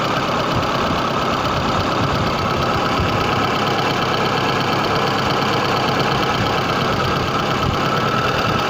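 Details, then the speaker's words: VAZ 21099 engine at steady idle with an occasional faint tapping that comes and goes rather than keeping a beat; owner unsure of the cause; intermittent knock at idle. "хочу поделиться своей проблемы или спросить у вас совет необычный стук в двигателе возможно кто-то с этим уже сталкивался"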